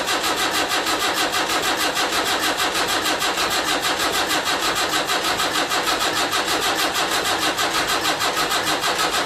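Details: Land Rover Series 3 2 1/4 diesel at first start after rebuild, glow plugs heated: long, steady cranking at about 97 compressions a minute with no firing. Injectors not yet bled; they are cracked afterwards and the battery is running down.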